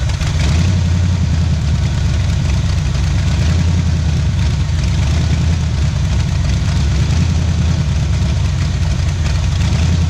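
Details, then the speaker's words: 1977 Pontiac Firebird V8 ex-drag car, abandoned about 36 years, first run after revival on a cold start, left idling to open the thermostat: deep idle that surges and chops in a steady uneven beat, typical of a big cam; it runs healthy. "in so you can feel it oh I can feel it right here and listen at that chop woo doggy"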